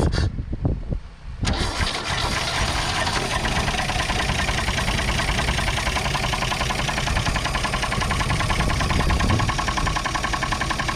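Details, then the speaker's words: 1962 Chevrolet Biscayne, 235 Blue Flame inline six, 3-speed manual, sat in a field since 1969, started on ether with electric fuel pump; idles with loud, rapid, regular knock; engine knock, cause unconfirmed. "we go she's running it's knocking though it's knocking really bad"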